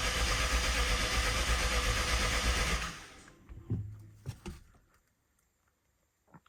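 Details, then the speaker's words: BMW 750Li first start after transmission repair and engine reinstall, fuel system empty: steady fast cranking about three seconds with no firing; cranks but won't start, something wrong beyond fuel priming. "no no there's definitely something wrong because it doesn't take that long for fuel to get to the front of the car"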